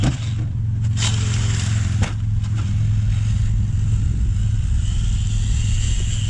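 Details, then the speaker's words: Traxxas X-Maxx electric RC truck on XRT tires at full throttle: a rough, gritty drivetrain drone and sharp clicking from worn-out gears. The pinion is still good. "Alright, the gears are already toast. What's one more? Oh, you can really hear it clicking in there now."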